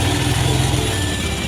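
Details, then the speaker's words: Verza 150 motorcycle with a complaint of rough noise from the left side of the engine, after timing chain replacement and valve adjustment: even, steady, low putter with no ticking or rattle from the top end. Smooth normal idle. "Ini lancar, Pak. Sangat halus. Cobalah mendengarkan."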